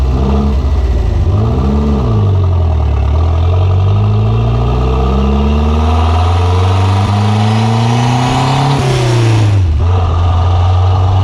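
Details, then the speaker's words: Conquest turbo (G54B) on a road drive after leaning out on the MAF-T: revs climb and fall through several pulls, then the note drops away suddenly; engine cutting out under boost, fuel pressure seemed to drop, cause unconfirmed. "it did look like a fuel pressure did drop like when it was going into trying to go into boost but it stayed whenever the car died"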